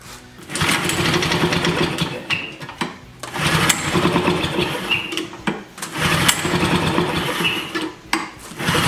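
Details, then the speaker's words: Vintage wheel-less hover mower (Flymo) two-stroke engine, primed with two-cycle mix, choke on: three rough bursts of firing a couple of seconds each, dying between; fires briefly then dies, carburettor suspected, not confirmed. "okay so we know it's gonna run so let's uh take the carburettor apart"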